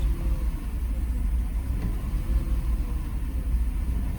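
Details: Mercedes SL500 after Sea Foam added with fuel very low: deep, lumpy idle rumbling and shuddering unevenly after a throttle blip, like a tractor, popping seemingly from the engine front; owner suspects an exhaust leak or low fuel, unconfirmed.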